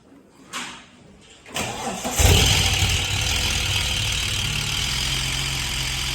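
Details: Old engine in manual BA Falcon drift car, which failed halfway through a morning event: catches and runs rough with a harsh metallic rattle over the idle, badly knocking; replaced with a green top Barra engine.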